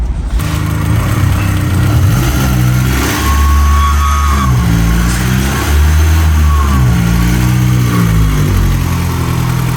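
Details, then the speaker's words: Honda S2000 engine revving and settling, with a thin, weird whistle above it that was suspected to be the idler or other pulley bearings. The pulleys were replaced with ones from a Spoon S2000 endurance race car. "it's like a whistle. It's such a weird whistle."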